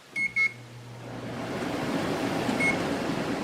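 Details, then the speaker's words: Window air conditioner (GE 12,400 BTU or Windmill 6,000 BTU, just installed) on its first test run: short control beeps, then a steady airy fan rush on low fan over a low compressor hum; normal running. "low fan. Compressor's running."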